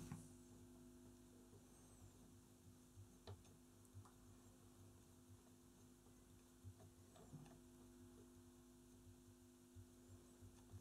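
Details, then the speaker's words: Philips Reverbeo B7X14A stereo valve radio under restoration, first power-up on long wave at max volume with a mini whip antenna; only faint steady mains hum, no station: EBF89 fitted in the EF89 socket, so no reception. "did i get the tubes right oh you idiot see how stupid mistakes are made i put the ebf 89 ebf 89 yep in the place of the ef-89 no wonder it didn't work"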